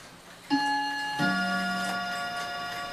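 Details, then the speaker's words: Dutch Friesian Tal wall clock that keeps stopping from a worn bushing: two clean gong strokes about a second apart striking the hour, fading evenly, strike train working properly. "it does have a nice [Music] sound so we got 1:00"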